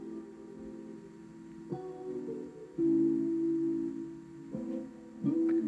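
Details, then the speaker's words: Sony TC-TX373 cassette deck with the DHC-MD373, demo tape after cleaning: music sounds dragged and slightly low in pitch, so the tape runs slow; owner suspects a belt issue; slow playback. "a bit slow as well. Let's go back the other way. Let's I think we might have a belt issue on this."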